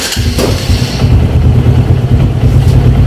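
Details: TVS 110cc motorcycle engine after timing chain adjustment to cure excess engine noise: starts quickly and settles into a steady, even low thump at idle.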